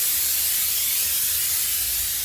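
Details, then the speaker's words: LMTV military truck, engine off, shop air pumping up the tanks: steady loud hiss of escaping air; the leak is at the air reservoir. "the leak is coming from the reservoir there"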